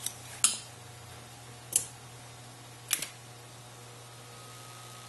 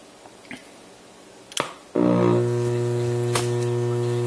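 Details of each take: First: 1971 NuTone Model 2541 AM/FM radio intercom master station after rebuilding power supply and amplifier board, master volume full, system about 25%: only a few clicks and faint quiet background, no loud buzz; hum gone, normal. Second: 1971 NuTone Model 2541 AM/FM radio intercom master station, 44 years old, switched on: click then loud steady low buzz that stays constant; power supply has completely failed, letting mains hum through.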